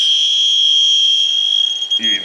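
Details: Robinair TIFZX heated pentode halogen leak detector in high-sensitivity mode on a Dodge Grand Caravan rear A/C block-off: steady high shrill tone around three kilohertz for two seconds, then cutting off; no leak found around the fittings.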